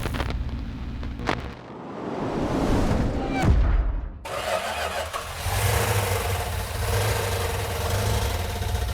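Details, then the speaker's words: New rebuilt 340 V8 at first fire-up: cranks, catches and runs lumpy and uneven on about six cylinders; a compression test found low compression. "When we initially fired it off, it was running on about 6 cylinders. So we did a quick compression test to find out it had low compression on it."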